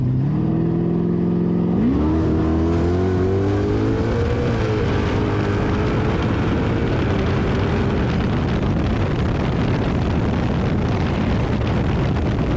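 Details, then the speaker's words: Nitrous V8 drag car at Rockingham Dragway, reduced jetting, hotter plugs, coil zip-tied in place, suspected bad plug wire: loud pull through the gears, then note wavers and revs flutter before coasting at 98 mph; engine misfire, cause unconfirmed. "Bit of a miss out there, it sounds like. And the motor kind of fluttering as far as the RPM goes."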